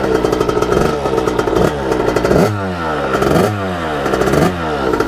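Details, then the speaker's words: 1989 Kawasaki KX80 big bore two-stroke after rejetting, not yet fine-tuned: revs climb slowly in every gear then the pitch suddenly shoots up near the top, coming on the pipe late, feels stuck in first gear; power band hitting late, cause suspected, not confirmed. "then finally rev up like at the last second I think was like that through all the gears and it kind of feels like I'm always in first gear it's kind of strange"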